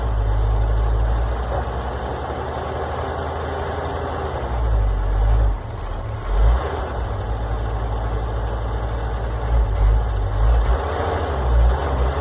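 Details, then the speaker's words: Oshkosh plow truck, thought to be a 1956, governed at 2800 rpm, sat for years, started in winter after cleaned points, borrowed coil and new gas tank, no coolant, full exhaust: low steady rumble with brief throttle blips, settling back smoothly; normal running. "seem to be running pretty good for sitting forever even has a full exhaust"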